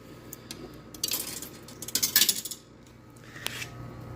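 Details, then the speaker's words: Repaired vintage Coke machine, coin mechanism (20-cent vend): a dime jingles through and is returned, rejected twice for an unknown reason; owner suspects it may only accept nickels. "rejected that one for some reason and it rejected it again so it does have one of my dimes though"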